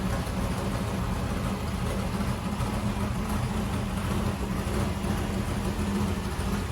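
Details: 1964 Corvette vintage race car, first fire-up of its newly installed engine: steady low burble with an even, lumpy beat and no knocks or ticks; the engine idles smoothly and sounds healthy.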